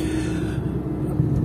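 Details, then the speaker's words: Lada Niva Travel (new car) driven at night over very uneven road, phone-recorded: only low, even road rumble with no squeaks, creaks or knocks; the suspension is very quiet. "трэвал подвеска очень тихая посмотрите дорога сейчас у нас такая очень неровная"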